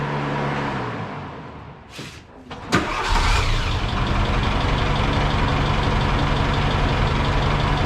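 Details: Austin Maestro engine that broke down and has always sounded rough; owners suspect big-end failure. Cranks and runs rough with a rhythmic tapping knock at idle before the rocker cover is removed; cause unconfirmed.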